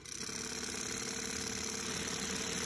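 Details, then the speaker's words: Norelco Continental 101 reel-to-reel after replacing the brittle plastic motor drive tire with a rubber tire: steady, even whir with a fine, fast flutter and no knocking or grinding; now quieter and driving correctly. "a little quieter definitely driving correctly now see definitely working"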